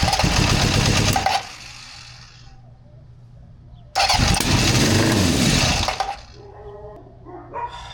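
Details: 1974 Honda CB750 with new wiring harness, rebuilt carbs, new plugs and coils and a newish battery: catches twice and dies after about a second each time, never idling; carbs and throttle need adjusting.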